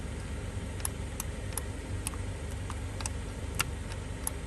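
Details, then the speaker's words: 2011 Kia Sorento driver window with new motor and new door switch module lacking auto-up, not matching the motor; only faint irregular relay-like clicks, no motor whir: power window relay clicking, window does not move. "all the windows work except these all work except for the driver side window it makes little clicking sounds like a"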